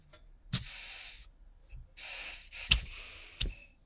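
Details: Wig Wag oscillating wobbler engine on compressed air, earlier recording before the fix: irregular hissy bursts with dead gaps, barely turning over; the pivot point looks skewed, so the cylinder runs on one corner and leaves marks. The pivot pin needs resetting.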